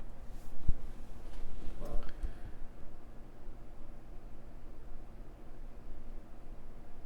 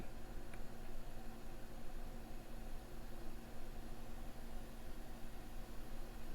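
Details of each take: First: MacBook Air A1466 after liquid-damage no-power repair, booting: quiet, steady low fan hum, not ramping wide open, suggesting it sees all its sensors; the fan sounds normal. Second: MacBook Air A1466 after liquid-damage no-power repair, booting with keyboard and trackpad disconnected: a steady, fairly loud whoosh as the cooling fan ramps up fast, possibly from missing sensor readings (not confirmed).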